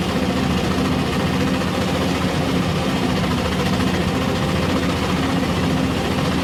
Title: R480LC Injector problem and misfiring #misfire #nozzle #injector